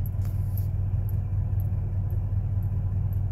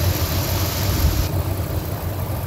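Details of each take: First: Rusted 1999 Ford F150 at idle: a deep, steady rumble with a faint, light tick about twice a second; owner suspects a manifold leak or lifter tick, not confirmed. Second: 1999 Ford F150, 5.4 V8, about 99,845 miles, retired over bad rust after the last highway drive; steady low even V8 rumble, no knock or miss; running good, normal running.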